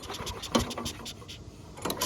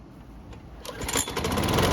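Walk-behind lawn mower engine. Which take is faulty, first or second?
first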